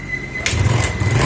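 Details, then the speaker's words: Yamaha Mio automatic scooter with a stalling problem, after valve adjustment, compression check and engine reinstallation: short crank, then it starts into a lumpy idle; extra noise suggests a leaking exhaust. "nah disini mesin Alhamdulillah hidup kembali kalau tidak normal di sini sudah hidup ini ada suara-suara gini sepertinya knalpot bocor harus agak diperbaiki lagi"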